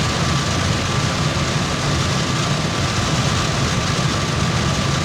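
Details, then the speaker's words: Brinkley G3250 RV rooftop AC (Dometic or GE) on cool with compressor kicking on, before installing an AC silencer: loud steady rushing airflow over low compressor drone and faint tone; running normally, just noisy. "Yeah, let's turn it on cool. Let that compressor kick on."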